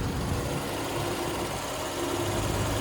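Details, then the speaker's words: 1988 Range Rover Classic SWB, 3.5 V8, 108k miles, third radiator added by previous owner: low, even burble at idle with no ticks, knocks or stumbles, just a steady purr; engine sounds healthy. "all right purring so it's a 3.5 since an 88"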